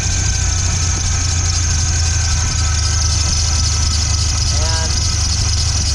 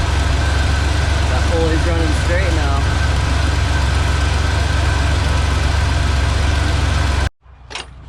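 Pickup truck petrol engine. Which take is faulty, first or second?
first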